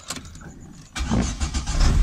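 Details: 2008 Chevy C2 with a no-start fault, after bypassing the clutch pedal start switch, in neutral with handbrake on: quiet cabin, short crank catches at once and settles into a steady, even low idle; clean start.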